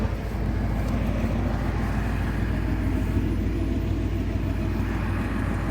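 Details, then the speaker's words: 1985 Ford Thunderbird heard from outside: deep, even V8 burble at normal idle, no miss or knock; sounds the same on cold or warm start. "And here's the car at what is a normal idle, and this is what it sounds like on a cold or on a warm start. Sounds pretty good."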